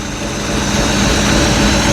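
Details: Boat engine after its cylinders were freed with oil, smoking oil, with the alternator belt flopping. A steady, even idle with a low rumble and no knocks or misses. Runs smoothly at idle, though rpm drops when idled up.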